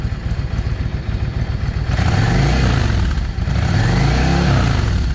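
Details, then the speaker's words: Yamaha V-Star 650 carbureted twin, still cold, after changing air jets from 22.5 to 25: two quick throttle blips rise and fall cleanly with no hesitation or bog; running well. "No hesitation. And that was going from a 22 and a half airfield jet to a 25."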